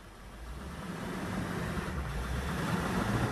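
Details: Ford box van converted to racing support vehicle/RV, briefly revved at standstill: engine note climbs steadily, low even rumble with no knocks or misses; runs healthy and quiet.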